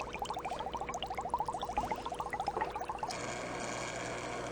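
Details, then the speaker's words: Fluval Nano internal aquarium filter, just fitted with shrimp-proofing and placed in the tank: rapid irregular gurgling and bubbling about three pops a second, then a steady hum; air trapped inside the filter makes the noise. "so to reduce that noise I'm going to have to open up the filter and make sure there are no air bubbles inside"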